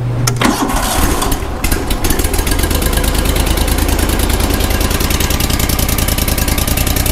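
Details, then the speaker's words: Grasshopper zero-turn with a rebuilt Kohler CH25S twin-cylinder engine, first start after sitting, microphone by the exhaust: short crank, catches quickly on choke and settles into a steady, even twin beat, a clean healthy start. "now we start it up starts up good a little throttle bring these in we can move no problem"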